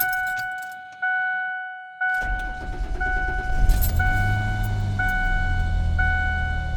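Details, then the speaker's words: 28-year-old vehicle that sat five years, cold rainy-morning start after replacing the IAC, old spark plugs still in: two beeps, quick catch, high idle on its own without stumbling; much better than the usual rough start, some misfires blamed on plugs. "I'm not touching the gas pedal at all, so it's doing that high revving on its own."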